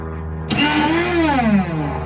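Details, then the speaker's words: NOMA 4.5 21" single-stage two-stroke snowblower on 50:1 mix, using its electric start. A high electric whine spins up and fades with no engine cranking; the starter spins but the Bendix gear doesn't engage the flywheel teeth. "So that sound is the starter motor cranking, right? Or moving or working, but the Bendix gear is not either shooting up or pulling down to match the teeth of the flywheel."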